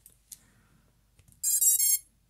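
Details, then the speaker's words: BetaFPV 95X V2 quad that fell from the sky, 3S LiPo plugged in: quick high rising ESC startup tones, then nothing, no final confirmation beeps; no communication between flight controller and ESC, flight controller being replaced with new F405. "and that's it so we're not getting the the ddd deep so there's no communication between the flight controller and our esc"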